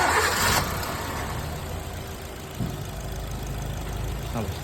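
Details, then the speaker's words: 2012 Maruti Swift Dezire petrol, unserviced two years, oil turned to black sludge and engine was noisy; after oil, oil filter and air filter change: starts quickly into a smooth, quiet idle with no ticking or knocking. "Start झाल्यावर एकदम silent आहे. काही sound नाही आहे, कोणताच नॉकिंगचा sound नाही आहे. एकदम सायलेंट झाली गाडी."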